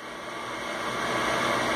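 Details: Hayward pool heat pump being diagnosed for error code SF, with the unit run in simulated operation: a smooth, steady, airy whoosh from the fan building slightly in strength, with no scraping or rattle, so the blower runs normally.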